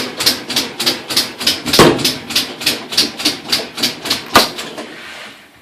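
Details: Direct-drive top-load washer after replacing a split motor coupling: sharp, loud, evenly paced clicks about 2–3 per second during agitation; clicks increase with speed in spin, which ramps up slowly. Rhythmic mechanical click in the drive, cause not yet found.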